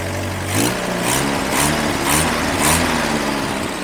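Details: Grandpa's long-sitting 1954 Willys military Jeep after revival: five rhythmic cranking surges about twice a second, then the engine catches and settles into a running idle; restart after a stall.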